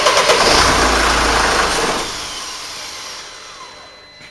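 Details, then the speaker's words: 2002 Mercedes-Benz E-Class with intermittent no-start, crankshaft position sensor codes P2046 and P2045 despite new crank and cam sensors: engine starts and roars about two seconds before being switched off; fault comes and goes. "well, I tried to start then. It started and I stopped it. We'll just wait till it won't start at all."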